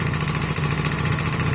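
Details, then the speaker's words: Honda CB250 Nighthawk after piston, cylinder and valve stem seal replacement: fast, even ticking over a steady idle; valves too loose after cam timing work, to be adjusted with the head off. "But you can hear there that the valves are a little bit loud."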